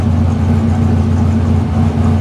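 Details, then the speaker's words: 1955 Chevy Nomad small block Chevy, new tunnel ram with dual Holley Sniper fuel injection, idling smoothly at about 750–800 rpm; steady even low rumble, no misses or knocks. "I have the idle sets 750 I think or 800 Maybe"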